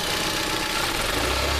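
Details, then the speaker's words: 2001 Hyundai Elantra, original spark plugs, jerking on throttle: rough idle that stumbles and shudders as revs are raised slowly, one cylinder dropping out; smells rich, worn plugs found as cause. "yep yep yep see if you raise it slow you can hear it though yep yep yep you got you got a cylinder that's going down see how it shutters like that"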